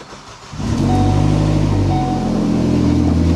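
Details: 2012 Ford Focus SEL 2.0 petrol engine starts and runs with a loud, deep rumble from an exhaust leak.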